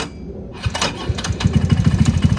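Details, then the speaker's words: Talon GSX150R2 go-kart started with a hair of gas; brief crank, then a slow, even putt-putt low idle of about eleven pulses a second that rises with a little gas, a normal start. "there it is. You hear how low it is? If you don't like how low it is, just give it a little bit of gas, a little bit."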